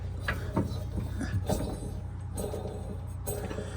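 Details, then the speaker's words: Toro TimeCutter 50-inch mower with Kawasaki FR691 engine: a hand-spun deck pulley gives a dry, rough grinding whirr from a worn bearing on its way out. "Bearing's gone in that one. That one's on its way out. I can hear it grinding."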